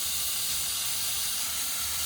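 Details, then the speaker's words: Compressed air blowing out the shower valve lines, turned full cold then the opposite way, while winterizing a 2021–2024 Winnebago Revel with the HydroLink plumbing panel; steady high-pitched hiss with a little spitting, normal blowout. "So it's always important to turn it full cold, let that all purge out, and then turn it in the opposite direction."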